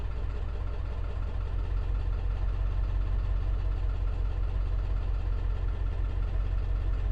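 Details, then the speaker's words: 2002 Ford F250 7.3 Powerstroke diesel started after key cycling to prime fuel: heavy idle stumbling unevenly, about three lumps a second, irregular beat; rough idle with P1316 injector drive module codes, failing IDM. "okay fingers crossed that is not sound healthy at all thank you oh that is very not happy"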